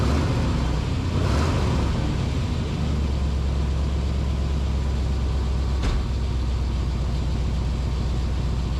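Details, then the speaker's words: 2000 Chevrolet K2500 Silverado 3/4-ton service truck idling after a new catalytic converter flange gasket: a deep, steady idle with a faint puffing edge. Exhaust still leaks at the flange because the gasket wobbles, held by few bolts. "right here's our flans oh no we still got a leak right here darn it right through here and look this gasket see gasket kind of wobbles"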